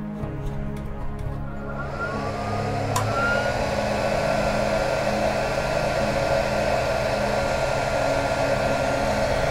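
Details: Benning 1300 W 48 V 25 A industrial power supply, mains connected with no modification: power-on click, then fan spins up into a loud, steady rushing whir with an even tone; normal startup.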